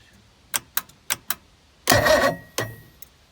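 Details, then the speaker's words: Old bass boat outboard, no water hooked up, starter and solenoid believed good. Four clicks, then a brief sluggish crank that dies; it turns over weakly and won't fire. "i don't think it's gonna run it's not spinning very much"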